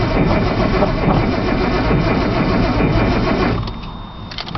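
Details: Nissan Z cranking steadily about four seconds with no firing or catch before dropping away; cranks but won't start, a possible problem being the cold start valve unplugged near the solenoid.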